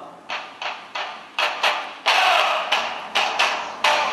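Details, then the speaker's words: Samsung Galaxy BEAM phone loudspeaker playing music: thin and tinny with no bass and harsh, rattly edges on each beat; the speaker is distorting badly, which may be fixed by removing a part or replacing the back cover. "and you hear how shitty the sound quality is well it really sucks"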